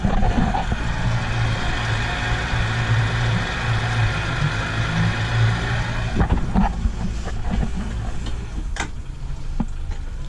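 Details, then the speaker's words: Deep even rumble from a boat's starboard engine after cleaning the cylinder 1 and 2 injectors, whose spray had been weak; formerly misfired around 2,500–3,000 rpm with no load, now runs smooth with no stumbles. "And now, it's running smooth. And it sounds the exact same."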